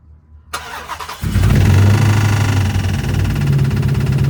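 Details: 2006 Chrysler 300 5.7 Hemi, bought cheap, first start: cranks and catches, then rough idle with fast uneven ticking; owner suspects lifters or rockers, tick source unconfirmed.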